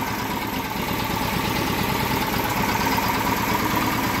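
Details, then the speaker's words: Small test engine with car wax previously run in its crankcase, now refilled with a little regular oil and very low compression, at low-speed idle: steady and even with no knock, still runs well. "That's as low as she goes. And as you can hear, not even a knock, and that's just with a little bit of regular oil back in it. So it does still run really good, so we can use this engine again for another test."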